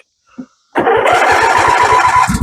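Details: Briggs & Stratton twin in an MTD 21hp 46-inch lawn tractor being refurbished from a parts machine: brief crank, catches at once and settles into a quick, even putter with no misses; normal start and idle.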